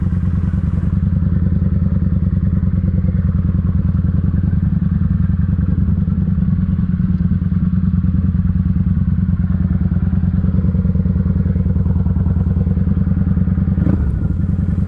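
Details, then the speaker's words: Kawasaki Vulcan 900 V-twin on the road after cleaning the fuel tank and the clogging fuel pump filter: steady, even low thumping with none of the earlier squeal; normal running. "good and quiet none of that squealing noise"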